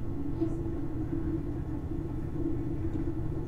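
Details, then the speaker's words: Creality CR-10S Pro 3D printer after quiet fan upgrade, all fans running except parts cooling fan: only a soft, steady low hum, even level, no rattle or buzz. "would you listen to that all the fans are going except for the parts cooling fan that's gonna be a little noisy but this is how quiet your machine can be"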